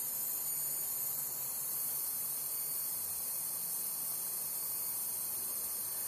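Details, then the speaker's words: Lotos LTP5000D plasma cutter with faulty pilot arc, not cutting and no cooling fan power: steady very high-pitched hiss over faint traffic, mic close to the power supply board; suspected high-voltage leak or breakdown, unconfirmed. "sounds like a high voltage leak like a breakdown it's coming from right I think more on this board"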